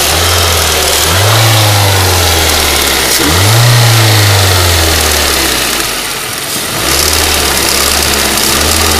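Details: Ford Duratec HE 1.8 engine revved and dropped back to idle with a fast, fairly even ticking that follows engine speed; owner asks what it could be, source unclear.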